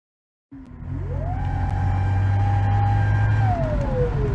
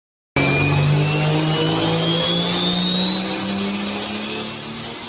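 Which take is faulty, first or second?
first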